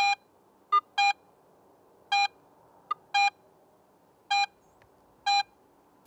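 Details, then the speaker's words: Garrett AT Pro metal detector in Pro mode on a silver coin: short repeated clear mid-high beeps about once a second, louder at shallow depth and fainter deeper; proportional target audio. "and sounds fainter at deeper depths this proportional signal strink helps the more experienced user understand more about the target's size depth and even its shape"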